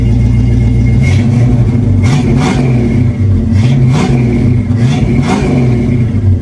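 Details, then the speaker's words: 1976 Ford Granada, 351W V8, finished 3-inch exhaust with 2-chamber Flowmaster and tailpipe: deep smooth burble with clean revs rising and falling evenly; healthy, quieter than hoped, mellow and not obnoxious. "so it's actually a little bit quieter than I was hoping for but it's got a really nice Flowmaster sound and it's not too obnoxious"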